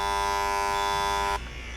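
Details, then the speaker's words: EBS260 handjet printer in purge mode, trigger pressed, spraying all jets: even buzzing tone held over a second, then cut off cleanly; normal purge spraying. "And we're going to just press the trigger now. You can see it spraying all jets."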